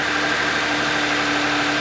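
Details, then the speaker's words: Used car with nearly 146,000 miles, cold start, earlier engine noise suspected to be timing chain; smooth even idle hum, steady pitch, no ticking or knocking; sounds healthy. "Okay, I would say it sounds healthy."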